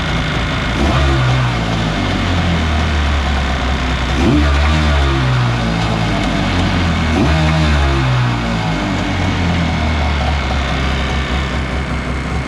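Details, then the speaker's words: Kawasaki 750 jet-ski engine in a mini jet boat with pump removed and mid shaft disconnected: reasonably quiet steady pop-pop idle, throttle blips rise cleanly and drop back; normal idle and rev, runs horribly once driveshaft is installed. "It's like reasonably like quiet. It's not super loud like before. It idles perfectly fine. Has a nice little pop, pop, pop. You hit the throttle, it revs right up."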